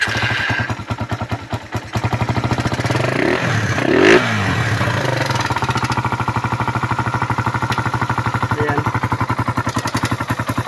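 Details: Suzuki Raider run without an oil change, after carburetor cleaning, new filter, spark plug, regulator, battery and fresh oil: idles with a fast, loud ticking clatter on every beat; oil-starved valvetrain worn from running dry.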